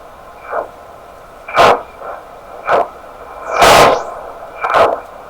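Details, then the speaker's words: Heathkit SB104A transceiver while aligning D board coil L406 on the 28.0 band: six irregular hissy bursts about a second apart over a faint steady hum; unexplained noise, cause unknown. "Now that was not me. Wow. It's pretty loud in here too. Man. I don't know what to make of those sounds."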